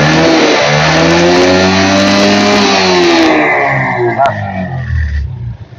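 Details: Yamaha 50cc student scooter at 6,551 km with early battery failure; after repair, small single revs up cleanly, holds, drops back smoothly without misfire; charging just over 14V, within standard, engine healthy.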